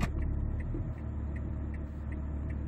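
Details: 2008 Hyundai Veracruz stopped with brake held in neutral after a 65–70% setting treatment: low steady rumble with light even ticking, smooth idle with mild vibration; idle vibration noise reportedly improved, louder in Drive.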